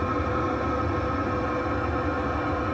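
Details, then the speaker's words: Newly installed Chinese all-in-one diesel parking heater in a shuttle bus RV conversion, heard at the exhaust pipe under the bus: soft, steady low hum and whoosh like a boat bilge vent, quiet, no popping or chuffing. Normal exhaust. "That's the sound of it there. Not very loud at all. That wouldn't bother anybody."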